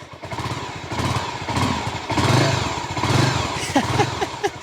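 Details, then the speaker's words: Honda GB500 single, newly bought, carburetor serviced, running with no battery fitted: soft, slow thumping idle off choke with quiet stock exhaust, classic Honda whine, no knocks or rattles; normal idle. "oo this kind of listen to that it is so quiet like it has a classic Honda wine all the stock bikes have that just sound to them all the old Hondas"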